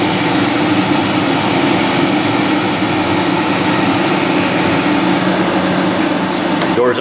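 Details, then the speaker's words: 2003 Dodge Ram 2500 HVAC during heater core rebuild: steady blower rush and airflow hum with faint tone shift as recirculation door actuator, bench-powered, closes; outside air to defrost, actuator and blower work normally. "we're now drawing outside air blowing it out the defrost over here so that proves that actuator is good"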